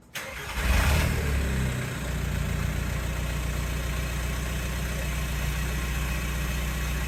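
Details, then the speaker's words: Mk4 Jetta TDI diesel with modified exhaust, gap at a half clamp to be butt-welded; starts and idles with rough low chuff and raspy puffing, little flow out the back; exhaust leaks all over. "all right guys so as you heard it sounds like leaky leaky leak"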